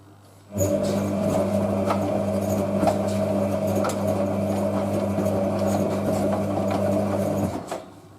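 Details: Hotpoint 9530 Electronic 1000 Plus, Programme 4 50°C coloured synthetics, polyester/cotton load: after the wash fill, an even low motor drone lasts about seven seconds, then eases off; normal wash tumble.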